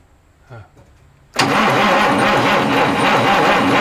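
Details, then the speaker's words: 1989 Marmon truck diesel with Jake brakes: starter cranks the engine steadily with an even pulsing rhythm but it never catches; suspected fuel starvation or stuck rack, not confirmed; cranks but no start. "as much as i've cranked on this thing dude starter just gave up ship if the cylinders were just rusty it would have already been clean because i cranked on this thing for a good hour and i never even got it to try like one time"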